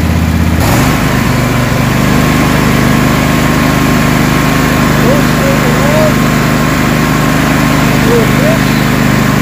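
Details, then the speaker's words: Craftsman DGS 6500 mower, Kohler Pro 26 hp V-twin that was puffing smoke, after carburetor reassembly, running on a little choke: even, low idle with steady rhythm, no stumbles; now idling much better. "so let's put it back together and i'm going to show you what it runs like now a little bit of choke already you can hear it idle much better"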